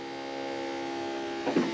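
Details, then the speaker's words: 1950 Ford Shoebox, 12V conversion with new fuel system and fuel cell, electric fuel pump priming before the first start attempt, engine off: steady, fairly loud mid-pitched whine with no surging or rattle, small handling bump. Pump running normally. "man that pump is loud I think it's gonna be that loud"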